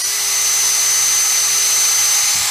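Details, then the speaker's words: Masterforce 20V 2-speed 1/2 in. cordless drill/driver, new, brushed four-pole motor, second (high) speed, running free with no load: smooth, even high-pitched whir at steady pitch, no rattle or catch; healthy. "pretty fast founding drilling wood drilling wood or you want to sand something you know running something at a high speed when you're not drilling with a drill bit"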